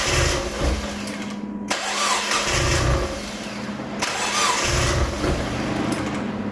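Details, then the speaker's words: Freshly rebuilt 1.8 BP4W Mazda Miata engine, first start after sitting a decade: surges and stumbles in uneven bursts, running rough; codes for unseated coolant temp sensor plug and uninstalled knock sensor, roughness otherwise unexplained. "I don't know why it was running so rough it didn't throw any codes for that usually if it's running that rough it's like the math isn't plugged in or the TPMS TPMS TPS isn't plugged in stuff like that"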